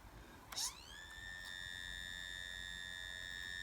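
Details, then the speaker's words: 2.5-inch laptop hard drive from a PlayStation 3, dropped repeatedly, connected via eSATA: a click, then a thin whine climbs fast and holds a loud, high steady pitch; abnormal, damaged-sounding spin-up. "That doesn't sound good. Right, so the hard drive sounds awful."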